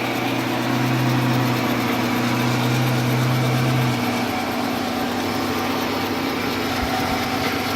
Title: Strange noise on lathe C11MB